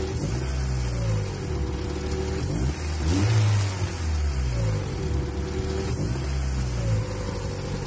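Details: 1994 Honda Accord 2.2 VTEC revving up and down with a deep rumble and a faint knock on top; owner assumes rod bearings slapping on the crankshaft, unconfirmed.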